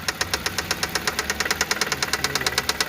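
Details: Toyota 1ZZ-FE engine at idle: sharp, even knocking at about eight per second; swapping the first ignition coil did not help, the fourth cylinder is suspected but not confirmed; engine knock at idle.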